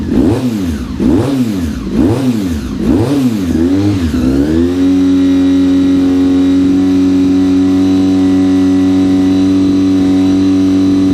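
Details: Honda RC45 RVF750, first start after new spark plugs (old ones very bad) and injectors tested leak-free: a few surging cranking swells, then catches cleanly into a smooth, even, steady idle; healthy.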